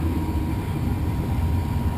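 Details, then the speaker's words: Furnace blower after cleaning a dirty squirrel cage: steady low whoosh and hum running smoothly, former imbalance rattle gone. "motors are on it's running very smooth I don't hear that rattling noise anymore"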